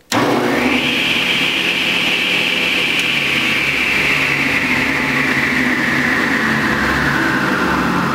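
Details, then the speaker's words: Delta Unisaw repulsion-induction bullet motor after brush ring adjustment and tighter spring: spins up within a second to a steady high whine, no growl or roughness; quick, healthy startup. "gets up to speed very quickly there's none of that sort of growling that you were here in with those earlier videos"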